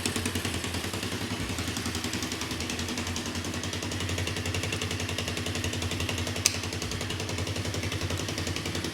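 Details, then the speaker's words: 1986 Honda TRX200 four-wheeler that had sat for a while, started on choke after the carb filled: steady, even single-cylinder putter at idle with regular firing and no knocks or misses; runs perfect, nice and quiet. "running perfect. Engine is nice and quiet."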